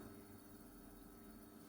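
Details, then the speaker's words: Panasonic 100 V single induction cooktop, once plugged into 220 V by mistake, heating a pot at full power (about 1400 W): a steady electrical hum and even fan rush, working normally. "Mình sẽ bấm nấu cấp nấu Xem nà bấm nấu này bật lên này Ồ đã ăn công suất này các bạn này 1400 w"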